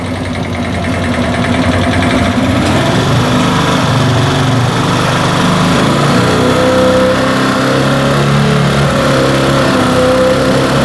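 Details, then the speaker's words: Italika Z 150 150cc single after carburetor and timing checks: now revs past 6000 rpm toward 9000 but speed hunts up and down, firm loud knocking from inside engine; mechanic suspects internal noise causes problem, carburetor also bad. "llegamos a la conclusión que ese ruido que tiene es lo que está originando todo esto pero ya ahorita ya deja pasar más de seis mil revoluciones"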